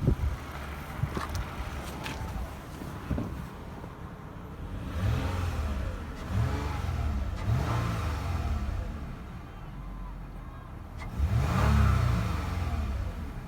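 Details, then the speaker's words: 2010 Lexus ES350 at about 153,966 miles, engine revved through several even, clean revs with a steady deep hum, very little vibration and no knocks or rattles; runs super smooth, normal healthy engine. "Listen to this engine. Very little vibration. Runs super smooth."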